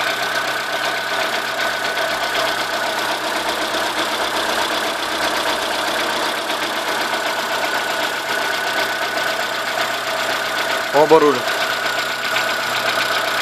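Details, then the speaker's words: Chevrolet Corsa 1.0 8V VHC idling: light, fast knock that stops when alternator belt tension is released, persists with another alternator and a new tensioner; heard on one side only; main or rod bearing suspected, not confirmed. "o barulho aqui que é esquisito é justamente esse que tá começando a fazer [Aplausos] agora esse barulho via a tensão da correia do alternador ele para me disseram que pode ser mancal eu gostaria de saber a opinião de vocês"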